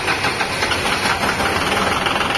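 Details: Used Japanese BW20-1 wheeled excavator, freshly imported, unwashed: diesel settles into a steady, even idle clatter with no misses or stray knocks; engine runs healthy.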